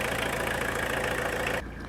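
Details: Tata Winger diesel after timing belt replacement, valve repair and coolant top-up, warm engine idling: steady, even idle clatter with no misses or knocks before cutting off; normal.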